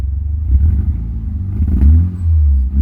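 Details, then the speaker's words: $3500 DSM after a bad ground was bypassed with a jumper clip to a good ground: deep, even engine note, revs cleanly with no stumble, no fuel smell or smoke, no shaking; running normally. "Look at that. One's like a dream. doesn't sink like fuel anymore. It's not blowing smoke. Not shaking terribly. Revs like normal."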